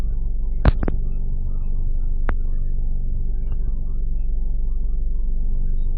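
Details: 2009 Ford Focus, 2.0L four-cylinder, automatic, about 45,000 miles, at idle: low, throbbing, uneven pulse with a few stray ticks. Rough idle.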